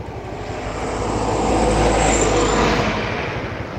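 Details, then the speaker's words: Honda Vario scooter (ojol rider's bike, CVT weights not replaced) ridden after being revved hard: smooth engine drone swelling and easing as it passes, no knock or rattle; engine sounds healthy. "ih dengerin mesinnya Pak ini mesin bunyi udah digeber udah dibawa lari juga suara mesinnya suara CVT nya CVT nya sekalian deh"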